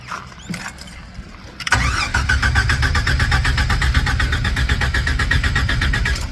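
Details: 1994 Jeep YJ that stalls and won't start despite new injectors, fuel pump and fuel lines and capacitor work on the PCM; it cranks steadily at about four beats a second but never catches, cause unknown.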